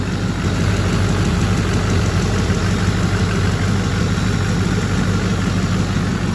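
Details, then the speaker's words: Neglected LBZ diesel idling after a parts install and regaining fuel prime: steady, even low rumble with no knocks or misses, much quieter than before. Running normally; a glow plug check engine light is on. "Much quieter though. Gonna let it run for a little while."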